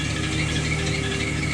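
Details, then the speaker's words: Jeep Wrangler running: high, thin squeak chirping in and out over the engine and a light rattle, cause not clear; squeak. "Oh no, that's good. I hear that squeak though."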